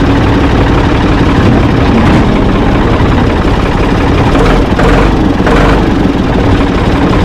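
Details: Ford 445 diesel tractor, owner thinks a 1970s model, restarted with owner aboard: steady low rumble with even beat, no knocks, misses or hunting at idle; engine normal, though drive quit, owner suspects linkage.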